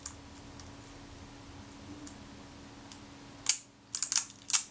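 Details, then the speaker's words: Kodak Retina IIIc during shutter service, testing film advance gear timing moved one tooth: sharp cocking click and crisp shutter snap with small follow-up clicks; shutter now cocks before advance stroke ends, working correctly. "that time success i just hear that shutter cocking before the film advance got to the end of the stroke"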